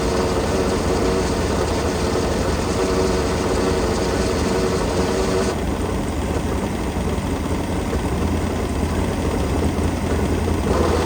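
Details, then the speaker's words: Sleek Craft jet boat with a 454 V8, running after sitting for years: uneven idle with a rough clatter riding over the rumble; abnormal drivetrain noise, which the owner suspects is a dry grease fitting on the jet drive. "grease fitting on the drive, and I kind of wonder if that's what's making the noise. So let me I'm gonna turn the water off. I'm gonna put some grease in that and see if it gets any better, because it sounds like crap."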